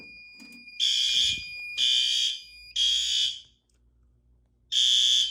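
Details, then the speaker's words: Fire alarm horn during monthly life-safety testing: loud, shrill blasts about a second long with short gaps, clean and even tone, very high volume; all horns and strobes working, horn operating normally. "I know they don't like to show up on camera, but very loud, high volume."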